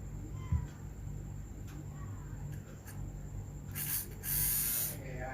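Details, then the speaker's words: RC servo motor after brush replacement, test run before gluing: low, steady motor hum holding evenly with no stumbling, some handling scrapes near the end; runs well, normal. "oke menyala dengan baik"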